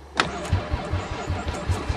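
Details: Chrysler van not started since November 2006, on a different battery, stale gas poured down intake tube: starter churns in even pulses about five a second, no catch or firing; cranks but won't start.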